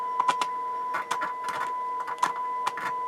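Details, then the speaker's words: Sansui R-606 stereo receiver on tape monitor 1, idling at about 18 W: the test tone breaks into scratchy crackles and dropouts as the worn, dirty volume slider potentiometer is moved. The right channel is worse than the left, with audio barely coming through. "Right channel. Same thing. It's worse. Actually, it's really hard to find a spot where you get the audio coming through."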